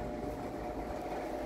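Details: Vintage Sears Homart belt-drive window fan, 1/6 HP Craftsman motor, on low speed: smooth even whoosh with steady low motor hum, no knocks or squeals; runs healthy.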